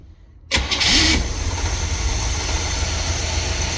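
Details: Engine that would only start with a jumper wire powering the ignition coil: the starter spins briefly, it catches within half a second and settles into a steady idle once the coil gets full voltage. Weak spark traced to the coil supply.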